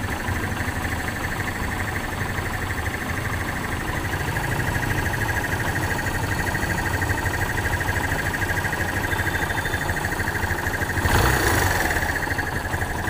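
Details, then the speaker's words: Kawasaki Barako single-cylinder after replacing the camshaft and rocker arm, worn from lack of lubrication and once loudly ticking: steady, even putter at a slightly fast idle, no ticking or clatter on top; quiet and back to normal. "Okay, dito tahimik na po yan. Medyo mataas lang yung ating minor, pero tahimik na, normal na po yung kanyang tunog. Balik na sa dati niyang andar."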